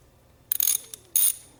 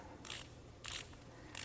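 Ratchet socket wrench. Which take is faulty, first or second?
first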